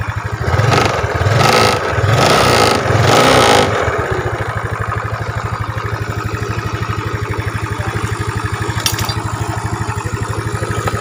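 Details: Yamaha Mio Smile scooter after replacing the noisy timing chain with a Honda chain (90 links) and adjusting the valves: a few blips, then a steady, even idle; faint hiss because the timing chain tensioner cover is not yet fitted.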